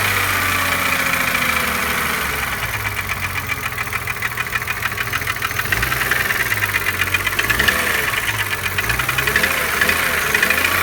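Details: BMW E36 M3 3.0 S50B30, tick began on restart after a half-hour stop, present warm and cold, seems to come from near the oil filter; bearings, chain tensioner, valve clearance checked OK, compression one cylinder 160 psi, others 180; steady idle with constant quick light ticking, cause unknown.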